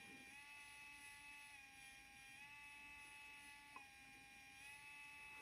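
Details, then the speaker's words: Geeetech SL300 3D pen version 3, heated to about 160–167 °C: faint steady high-pitched gear whine as the feed motor pulls filament in; normal operation. "Makes a little bit of noise. Well, that of course is the engine. It's taking in the filament"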